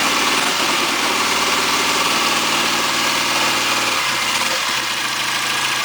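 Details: 1959 AJS/Matchless G12/G15/45 twin in Rickman Metisse frame, freshly rebuilt, on choke after first start: even steady idle with a busy, slightly hissy top end, no knocks or misses; runs cleanly.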